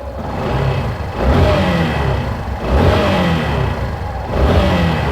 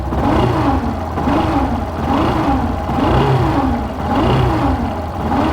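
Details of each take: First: 2017 Yamaha Fazer 150 blipped three times with the stator disconnected: clean revs with no whine over the exhaust. The whine, resembling a bad bearing or clutch noise, was caused by a burned stator coil. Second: 2017 Yamaha Fazer 150, engine started and revved: a turbine-like whine that rises and falls with revs, resembling a failed bearing or clutch noise but caused by a burnt stator coil.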